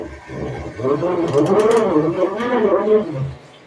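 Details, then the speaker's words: North House washing machine in final spin, slow to gain speed: wavering whining squeal rising and falling; owner suspects slipping or failing drive belt, not confirmed; earlier loud grinding, drum later stopped spinning. "It sounds like the belt's messed up. Oh, it finally got some speed. But that belt's about to rip."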